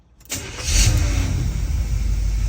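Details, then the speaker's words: Freshly rebuilt 350 V8 in an El Camino, hot restart after about 35 miles and nearly an hour of driving, 190 degrees, 25 psi oil pressure, tune-up untouched: fires almost instantly, brief flare, then deep even idle; normal warm start. "Sounds good. I'm happy. I'm pleased. And I'm not even gonna play with the tune-up. I mean, it runs really that well."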